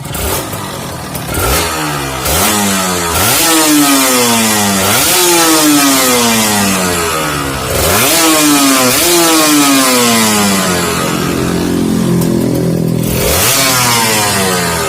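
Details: Kawasaki Ninja RR two-stroke started to check the KIPS function, with the ignition wire bypassed, during repair of a radiator-coolant leak into the engine oil. Crisp revs climb and fall back cleanly several times, then a steady idle with no misfire or knock.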